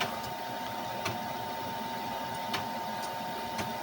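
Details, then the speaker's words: Amiga 2000 with an accelerator card: sharp, irregular hard drive ticking over a steady fan hum. The drive was moved off the card, and the ticking stops or starts with hand pressure on the card, pointing to a poor CPU slot connection. "Hear it ticking again. So we have dubious connectivity on the CPU port, which I've suspected for a while now."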